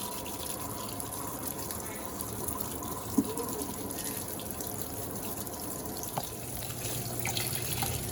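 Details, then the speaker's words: Electrolux Turbo Acqua Jet 15.2 kg (LTA15) washer on medium level, short agitation, double rinse: spin has stopped and a steady hiss of water pours into the tub with light splashing for rinse; normal water fill. "Ela para de centrifugar e já começa a encher da água. Fica só esperando um pouquinho assim que o motor acabar esse barulhinho."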